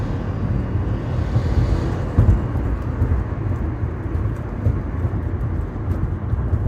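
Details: 2014 Subaru Forester XT Touring, warm and under load: deep, uneven fluttering, whirring rumble first mistaken for engine knock; exhaust gas escaping past the manifold gasket because the manifold nuts were under-torqued.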